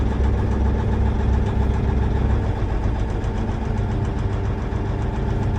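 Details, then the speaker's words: Versatile 2360 tractor, Cummins N14, idling during cylinder cutout test: slightly uneven lumpy beat, no change when cylinder 5 is cut; number 5 cylinder dead from failed injector. "So there's no difference in the engine, the way it sounds on cylinder 5. So that's a good indication that we've got something going on with that number 5 cylinder."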